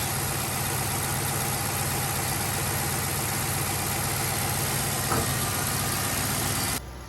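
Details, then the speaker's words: 2013 Chevrolet Caprice PPV, 6.0-litre V8, cheap rescue car just revived: even, steady idle with a smooth low rumble; nothing untoward smelt in the exhaust, no weird noises, bumps or knocks, so a healthy normal idle. "i might have won on this one guy that's that six liter v8 burn away i don't smell anything untoward in the exhaust i don't hear any weird noises or bumps or knocks"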